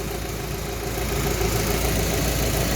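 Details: Rover 45 after fixes, hot engine after about 20 minutes: steady, even low hum with no misses or knocks, smooth idle; normal idle.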